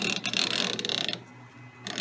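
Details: Lewis shaper clutch housing after boring out its egg shape: the gear train is simulated by hand, a light even whirr turning one way, a brief pause, then turning back, with no knocks or binding and no effort changing direction; the gears mesh smoothly.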